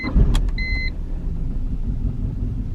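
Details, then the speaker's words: BMW 318i E46 Touring petrol, warm start: two dash chimes, quick catch, then a low, uneven, very rough idle; car had died on the road; coolant leak present, new ignition coils planned. "yeah tractor spec she's running rough like real rough like like died on us when we try to take it down the road the other day"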